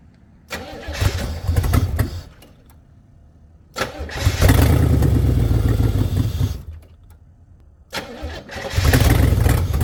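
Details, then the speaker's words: 1985 Pontiac Firebird Trans Am, long-stored, fresh premium fuel, first start attempt: fires in three short loud bursts, revving and dying each time, raspy exhaust leak; only runs near half throttle, won't idle. "so I was able to keep it running I had the my pedal almost the floor and it was running about half throttle the whole time as soon as I let off the gas it pretty much want to die"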